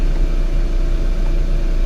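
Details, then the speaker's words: 2011 VW Tiguan 2.0L turbo, crank-no-start with code 01259 (fuel pump relay open/short to ground), fuel pump powered through a test hookup: engine now starts with fuel pressure and runs with a deep, steady rumble, no misfire or stumble; normal running. "see if we can start this car up without falling there we go now the car's running"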